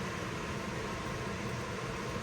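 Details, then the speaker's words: 2010-16 Porsche Panamera (970, 3.6/4.8) after high-pressure fuel pump replacement, key cycled with everything else off: quiet, even electric whir of the in-tank pump priming normally. "And then if you shut everything off, you can hear the pump in the tank."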